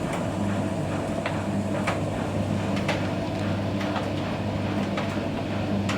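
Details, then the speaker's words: Bosch EcoSilence Drive WAT28371GB washer on a 40° mixed-load Aqua Plus 1400 rpm cycle; steady low pump hum with a soft chugging pulse about once a second plus light drum clunks; normal drain pump operation. "Okay, there it goes, that's the pump sound you can hear anyway."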